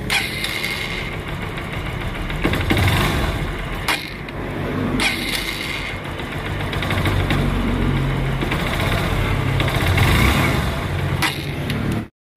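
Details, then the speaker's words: Honda TMX Supremo that dies and is hard to start when wet from rain or washing, engine hot and wetted: uneven running with stumbles and dips, then cuts out; leaking spark plug cap, not coil, lets spark escape. "So Ayun nga at ah nagparamdam na ang problema ng ating tropa so nagmula ang isot problema dito sa kanyang ignition coil at kukumpirmahin natin na ignition ah spark plug cap pala mga Bossing na spark plug cap yung problema ng kanyang unit"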